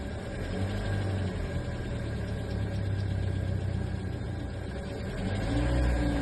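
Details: 2016 Kia Forte, about 50k miles, cold start: steady hum with faint rapid ticking around four per second, noise not present every time; cold start engine noise of unknown cause.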